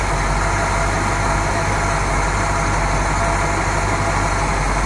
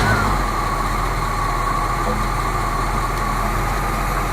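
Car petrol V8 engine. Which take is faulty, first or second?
second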